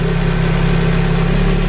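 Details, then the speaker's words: Ford Focus RS Mk1 after lower sump replacement and heli-coiled crankcase rebuild, first start after months off road, before warming up: steady low petrol idle with faint light valve-train tapping, typical for these engines; nothing heavy. "You can see, you can hear the tapping. These are renowned for being a bit tappy anyway."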